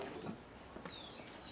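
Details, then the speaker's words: Car wiper running while parked with a few water drops on the glass. Quiet sweeps with thin, rising and falling squeaks as the glass dries: blade chatter. "E o ruidinho vai aparecer, quer ver, ó? Perceba? Isso. Olha ali. O ruído já está aparecendo."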